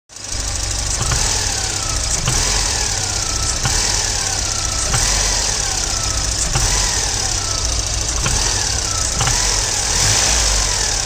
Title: Volvo 940 engine knock on sharp acceleration from idle